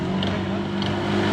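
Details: 125HP Mercury 2-stroke outboard at about 2000 RPM, under way in forward (not in reverse): a light, regular tick roughly every half second over the drone; caused by missing gear teeth in the gearbox.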